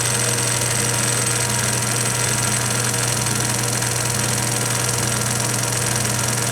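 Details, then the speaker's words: 1920s Kwik-Way valve refacer motor running with grinding spindle disengaged; steady hum with faint rhythmic tick about 160 per minute, owner suspects the belt joint slapping the lower pulley, motor otherwise silent; belt noise. "can hear the the joint in the Bell and it makes a little bit of noise when it goes around the lower pulley there that's what I think the noise comments problem as the motor run silent"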